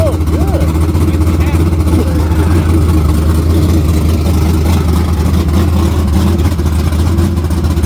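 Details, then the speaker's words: Chevrolet Camaro with naturally aspirated LS V8 on a modified HP-series carburetor with a large plenum and a mild cam under 240 duration: deep, lumpy, steady loping idle; very healthy engine, ring seal good, strong vacuum. "Very healthy engine. I mean, the ring seal's good, everything's good on it."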